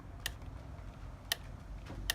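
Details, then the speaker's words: Inokim Ox 800 W e-scooter after 113 km: sharp isolated ticks as the stem is rocked forward and back, from slack in the folding latch. The owner packs it with paper shims to tighten it. "Can you hear that ticking? So as I move it forward and back, there is a little bit of slack. There is a little bit of slack in there,"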